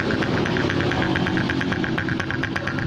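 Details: Honda Supra X 125 idling unevenly with a rhythmic snoring pulse and rough sound from low vacuum; vacuum leak from a cracked engine head breather hose split right at the clamp.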